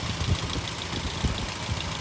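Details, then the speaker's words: Rebuilt 1600 engine just installed in a 1986 Ford Courier; the old engine had over 1.3 million km. Steady, fairly quiet idle with a light regular tick: one valve on one side clicking, likely not set well during the rebuild. "There's one valve on this side which I can hear clicking quite a bit. So I think one of them they didn't set too well."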